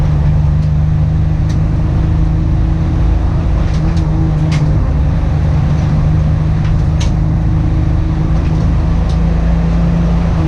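Engine idles with an uneven, stumbling beat and scattered irregular pops over the steady drone, typical of a misfire.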